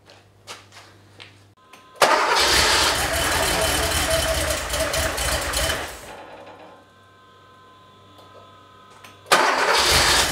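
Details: 3.2L Porsche 911 Cabriolet, first start after head studs replaced, injectors cleaned/resealed and old dark fuel drained, spark restored: brief crank, fires straight into steady even idle, shuts off, restarts cleanly.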